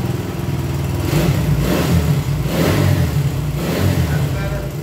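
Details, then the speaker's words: 1975 Honda CB125S, barn-stored, first start in 15 years: small single fires and revs unevenly, low drone surging and sagging over a few seconds; runs but poorly tuned, timing still to be adjusted. "fuel there you go i still gotta adjust the timing and other stuff to get it all right so anyway you see it's a runner um anyway i'll get it all tuned in so it fires up better and runs better and all that kind of stuff"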